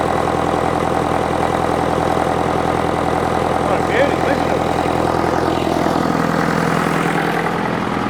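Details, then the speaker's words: International Harvester 554 diesel tractor just started on ether after about five years sitting: steady, even idle clatter about three and a half beats a second with intake hiss; runs smooth and clean, slight smoke. "it's running pretty clean starting to starting to Chum a bit out now but it's just magnificent it sounds great"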